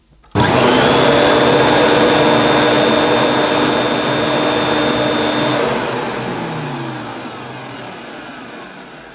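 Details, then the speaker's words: Electrolux 614 upright vacuum after refurb, motor cleaned and greased, suppressor removed, original carbon brushes: switches on to a smooth, steady motor whine, then winds down gradually after shutoff; much improved over pre-refurb sound. "think and hope you'll agree that that is a lot better."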